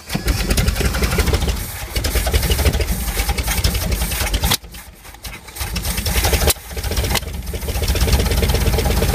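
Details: 1964 Ford Galaxie convertible abandoned in a field, first start in decades: engine catches and runs loud and uneven, sagging and nearly dying twice before picking up, starting to get warm; rough running.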